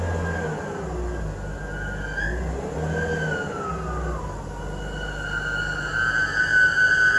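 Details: 2005 BMW E46 320i running engine: thin high squeak wavering in pitch, growing stronger toward the end; suspected alternator squeak, not confirmed.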